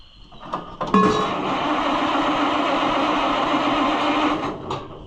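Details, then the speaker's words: Oliver 1800 C series tractor that sat about a year, battery reading 11.8 volts, starter churns steadily about four seconds with no firing or catch; cranks but won't start, and the owner wonders whether the spark needs checking again. "Something ain't kosher here, pal. You're supposed to be running by now and you're not doing the thing."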